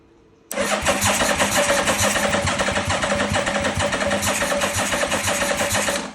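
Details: 1985 Yamaha Vmax unrun for 10 years, pistons free, pump in and new hose fitted: steady starter cranking about three to four turns a second for several seconds, no catch or firing; extended cranking, no start.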